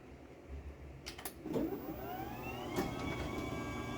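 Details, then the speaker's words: Chamberlain B970 DC garage door opener on a mini door with almost no load; thin high motor whine rising then steady over low rumble; normal but whiny operation. "So yeah, it's really whiny, and I really am not a big fan of the way it sounds. I just don't like whiny DC motors."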